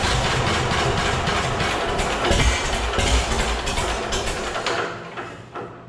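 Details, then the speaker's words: John Deere A tractor, heavily modified, start after modification; steady, even chugging that fades as it settles, oil pressure about 18 psi as it should be, no leaks at oil filter, starter works; normal running. "yeah she runs just about 18 pounds which is about where they should run actually"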